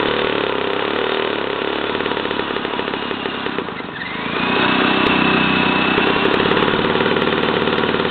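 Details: 1977 JCPenney Pinto two-stroke moped, sat about 8 years, run on a Briggs & Stratton lawnmower carburetor with oil mixed in: loud raspy buzz, revs sag briefly, then recover and hold steady; runs fine on that carb.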